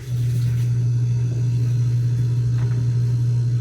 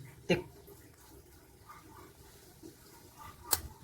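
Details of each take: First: LG upright freezer that stopped cooling, after replacing the compressor start capacitor: compressor starts and settles into a steady, even low hum with no clicking or rattle. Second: LG upright freezer not cooling, stock capacitor fitted: faint low hum from stalled compressor, then sharp clicks as the overload protector trips; faulty start capacitor, replaced with same-value 32 µF 300 VAC.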